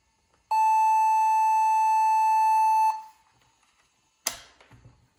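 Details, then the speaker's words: HP Pavilion N5445 laptop (~2001, AMD Duron/Athlon, PC100 SDRAM) after refitting 128 MB RAM: one steady ~2.5 s beep at power-on, then a click, with no video; RAM suspected, new RAM to be tried. "Sounds like it's booting again, but there's no video now. That's a problem. That's a problem."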